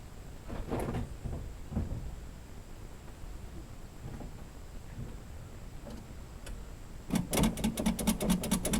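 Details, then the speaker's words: 1982 Chevy C10 Custom Deluxe, first start attempt after sitting: steady starter churn of about eight pulses a second that never catches; crank no start, owner suspects no fuel reaching the engine. "okay sounds like no probably needs to get some fuel up there"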